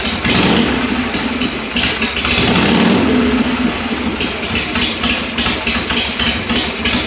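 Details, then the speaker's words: 1982 Harley-Davidson FXR Shovelhead, first start after sitting, with a cleaned S&S Super E carburetor with a faulty float, fed from a bottle: idle lopes and surges unevenly, revs wandering; owner suspects wrong fueling, possibly stuck valves and rings. "obviously see the idle is not right yet so I'll have to adjust that not sure if it's getting the right amount of fuel"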